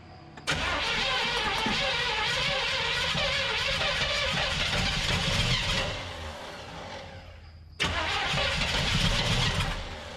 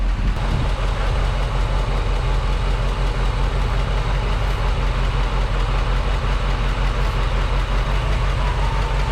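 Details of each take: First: 1975 Chevrolet C20 Scottsdale squarebody, first start attempt in nine years with a Holley Economaster carburetor: steady starter churn about five seconds, a pause, then more cranking without catching; the engine isn't getting a steady fuel supply. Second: 1975 Chevrolet C20 Scottsdale 3/4-ton squarebody V8, first run in nine years, Quadrajet carburetor not yet dialed in: deep, steady burble at an even idle with no misses or knocking; normal idle. It bogged and stalled shortly afterward.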